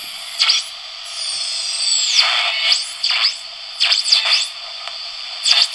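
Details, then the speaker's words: Breadboard CDC10 superhet expansion feeding a fixed-frequency regenerative receiver on shortwave: whistling tones sweep up and down over hiss as the set breaks into oscillation; regeneration gain too high, reduced to restore reception. "so now it's an oscillation I decrease the gain there we go"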